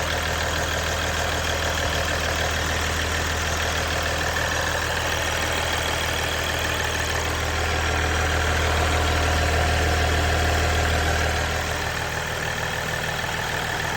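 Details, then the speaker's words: Ram EcoDiesel idling after an aFe charge pipe install: even, steady diesel idle with a light turbo whistle, turbo more audible than before, no knocks or misses; engine sounds healthy. "from what I can hear sounds like you can hear the turbo a little bit more which is good any any more noise is good"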